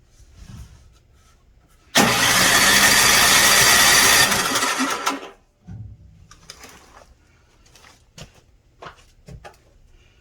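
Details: Snowblower that won't start after sitting all summer: a single harsh cranking burst of about three seconds, then silence; the engine cranks but never catches.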